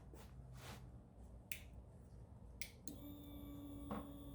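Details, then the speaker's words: 1998 Suzuki TL1000R sat 15 years after a 2006 crash, new battery and electrical fixes; at key-on a few light clicks then a quiet steady hum holds as the fuel pump primes: normal fuel pump prime. "took a little while but got ignition power there got the fuel pump"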